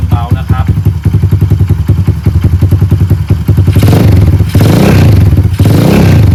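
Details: Honda Monkey-style Stallions minibike with a Dash carburettor swapped in to replace a Wave125 carb, first start after fitting: an even, steady thumping single-cylinder idle with a couple of throttle blips. Normal, clean idle.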